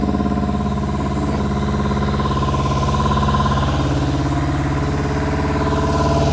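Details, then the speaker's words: 1999 ZRX1100 restarted after sitting neglected twelve years, with the airbox deleted: lumpy, uneven idle skipping two or three times a second; it is misfiring on one cylinder, as number 4 runs cold. "Let's see if we'll let it sit for a couple seconds, and... Definitely missing on one cylinder."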